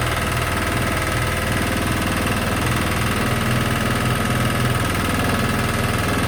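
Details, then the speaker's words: Sykes GP80 water pump with Lister TR1 diesel engine, idling, loud and rattling the floor, battery charging at 14 volts: steady, even diesel chug with no misses or knocks; running healthy. "I'm actually over the moon with that albeit loud as something that I won't say"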